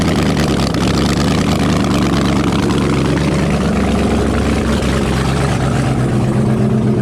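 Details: LS V8-swapped Jaguar XJ-S, no headers, unmuffled ports, after first start: very loud steady deep rumble at idle, picks up cleanly with throttle blips; healthy engine.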